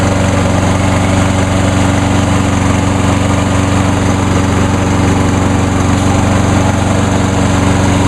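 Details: Small lawn mower started with its brake handle clamped by vise grips: holds an even, steady beat with no misses or surging. Runs much better than before, almost as well as the 10606. Normal running.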